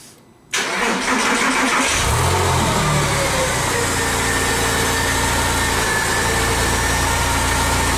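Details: Porsche 996 Carrera, start after fitting a second replacement AutoZone alternator (the first failed): starter whirr, quick catch, then a smooth steady idle with no squeal or knock. Charging almost 14 volts.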